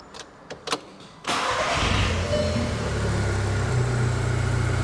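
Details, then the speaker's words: 2012 VW Golf R Mk6 (salvage rebuild) first start after engine install and replacing a blown engine-components fuse: a few clicks, then it catches and settles into a steady, smooth, even idle with no stumble; running normally. "She's purring. Guys, the car is running. She's running smooth."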